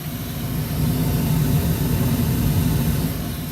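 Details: Old ICP gas furnace with a failed fan timer board, fired up for heat: deep, even rumble that builds then holds steady without knocks or rubbing; furnace blower running normally.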